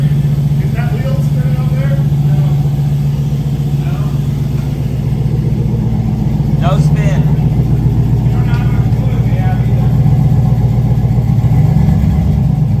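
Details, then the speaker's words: LS V8 swapped into a Volvo, just started for the first time, with stock pump, four-to-four gold idols and homemade exhaust, heard from the back: deep, steady idle burble with a couple of clean throttle blips; runs evenly. "we didn't get it started on friday but two minutes into freaking saturday it's running man"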